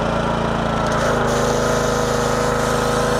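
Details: Honda pressure washer small single-cylinder engine, found discarded, after carburetor cleaning and pump rebuild with new gaskets, running under pump load with water hooked up: steady even busy beat, no stumbles or misses; healthy.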